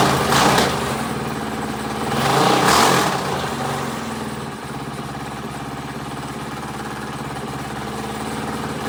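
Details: Predator 212 single-cylinder engine just rebuilt with valves set and a Mikuni carburetor fitted, started after the rebuild: fires up, settles into an even idle and revs cleanly. Earlier smoke was only assembly oil on the piston burning off; it runs good.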